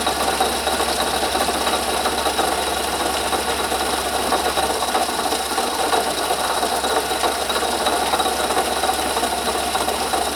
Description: I heard a noise coming from under my hood that keep getting louder and decided to get my camera and investigate.